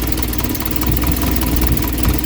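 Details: 1972 Triumph Dolomite 1850 automatic after a full ignition refresh with a new coil and an electronic ignition module: steady, even low idle rumble with no misses or knocks. The engine settles into a smooth, healthy idle.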